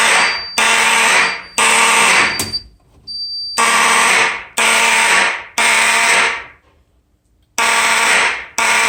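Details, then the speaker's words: Fire alarm system test on code 3, started from an Edwards 276B pull station. Loud harsh buzzing blasts come in groups of three with pauses, and the tone is coarse and rasping. Finding: raspy alarm horn tone. "I'll tell you what, these things do not sound that great at all. Yeah, these things are a piece of crap, to be honest. Like, first of all, they sound like crap."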